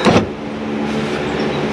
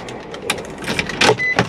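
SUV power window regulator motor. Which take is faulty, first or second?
second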